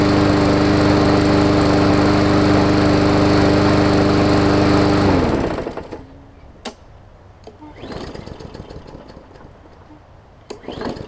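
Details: Hyper Tough Briggs & Stratton OHV push mower with plastic carb, after clearing water from fuel that sat over winter: even, steady high drone with a constant beat for five seconds, then a clean wind-down; normal running.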